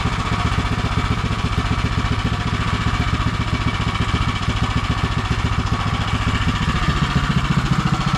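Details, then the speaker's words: Predator 212 (Monster 212) single-cylinder in Mega Moto minibike with new thick-flange custom exhaust V2.0 and wrap, warming up: even putter at steady fast idle, about four pops a second, no knock or rattle; normal running. "I gotta say, that sounds really good."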